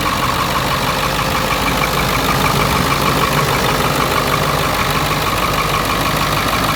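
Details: Ford F-350 7.3 Powerstroke diesel, first start in years after being bought non-running with no oil in it: loud, steady idle with an even drone and no knocks, misses or hunting.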